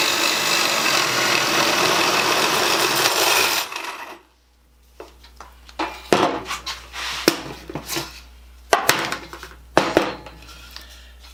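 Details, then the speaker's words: Black & Decker 1/4" Deluxe drill motor, cleaned and tested, boring wood with a 1-inch spade bit: steady loud buzz with a rasping chew for about four seconds, then a clean stop. The motor pulls fine under load. "I'd say that works. That's a 1-inch spade bit."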